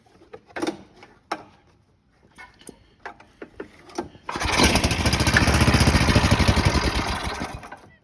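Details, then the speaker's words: Roadside snowblower said to have a toasted motor, after draining bad gas, cleaning, fitting a new shear bolt and changing the oil, primed and started: clicks, then it catches into a quick, even chug of about four beats a second, running smooth and healthy. "But runs damn good. So, Wildman's Lodge."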